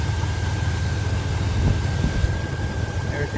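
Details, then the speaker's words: Chevrolet S10 Blazer LS petrol engine idling after replacing the serpentine belt, belt tensioner and idler pulley: steady low rumble with no belt whine or squeal, under some wind noise on the microphone. "there's some spinning I can't hear that little one that little whining noise anymore"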